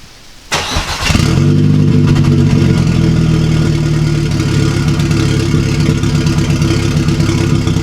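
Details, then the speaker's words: 2009 VW MKV GTI 2.0T TSI, fully straight-piped with a 3" Billy Boat downpipe and no muffler or resonator. On a cold start it cranks and catches, then settles into a loud, uneven, stumbling idle. Cold-start misfires that the PCB had not fixed; cause not yet found. "That's the misfires. It sounds horrible, dude. It's all the misfires."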